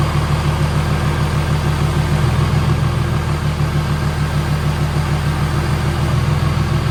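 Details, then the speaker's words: OBS Chevy truck with swapped 6.7 Cummins diesel, first start after build: steady, even low diesel clatter at idle with no misses or knocks, no leaks; normal idle. "For the most part, the engine's done. So, purring like a kitten. Nothing pouring out underneath."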